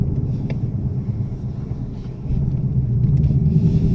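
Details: 2018 Ford Mustang GT cold start after oil change to Motorcraft 5W-30 synthetic blend: deep uneven rumble at cold idle with a loose rattle underneath; owner suspects piston slap and feels the oil quieted it.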